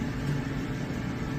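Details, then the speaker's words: Home clothes dryer running after the vent line was blown out, lint cleared and a screw removed from the duct; low even drum hum with no clunking or scraping, venting and running normally. "She's going to vent good because I blew the whole line out and I got that screw out of there."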